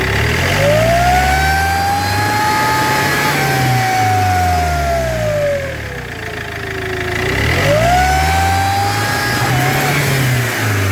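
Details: Iveco 2.3 16v diesel revving up and down: loud whistling whine rising and falling with engine speed; damaged turbocharger.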